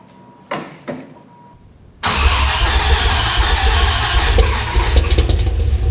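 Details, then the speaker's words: Dodge Viper V10, first start after engine install, spark plug wires 7 and 9 mislabeled and crossed; owner also suspects faulty idle air control, oil burning off manifolds and headers: two starter bursts, loud lumpy stumbling run, won't idle; misfire from crossed plug wires. "had a couple of farm bug wire mislabel seven and nine bad handwriting well it does not want to idle right now"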